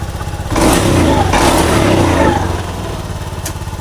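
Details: Honda Beat Street FI scooter that sputtered and died when throttled, after cleaning out dirt deposits: small engine idles evenly, picks up cleanly on throttle blips and settles back without stumbling; sounds healthy.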